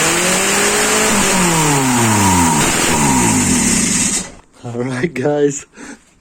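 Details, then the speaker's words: Mitsubishi Eclipse 2G first start after two years of rebuilding: it catches and revs smoothly, pitch climbing and falling with throttle, then settles, idle still to be adjusted. Normal start and idle. "as you seen she is alive i still have to adjust the uh idol and all that"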